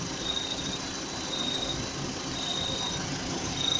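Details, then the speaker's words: VW Gol/Voyage G6 with running engine: short high cricket-like chirps in bursts about once a second. Holding the AC hose stops it and releasing it brings it back, so it is a vibrating AC hose, not the belt (already replaced) or the 6-month-old compressor. "Vou segurar, acabou o barulho, acabou o grilo. Soltei, tome grilo."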